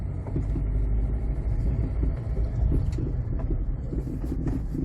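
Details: 2007 Jeep Compass out of storage, with humming noises, after repeated steering knuckle and brake work, road test: only low even road rumble, no hum rising with speed; wheel bearings sound quiet and healthy.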